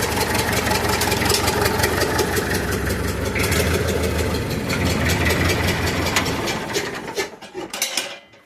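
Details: Massey Ferguson 65 diesel tractor after fitting a new battery (old one could not crank it): strong cranking catches at once and settles into an even, steady idle with no misses or knocks; starts and runs healthy.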